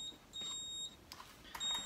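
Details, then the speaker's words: AP Valves XPD rebreather handset powered on with a long left-button press for pre-dive calibration: a few short, high, clean beeps as cells, solenoid, buzzer and temp stick check good; normal power-on self-test. "Cells are good, solenoid and buzzer's good, temp stick's good."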